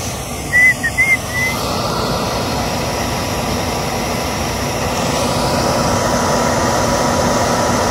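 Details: Hartzell/York furnace first fire-up after install: a few sharp spark ticks, then the burner catches and settles into a steady, even rushing roar; clean normal ignition.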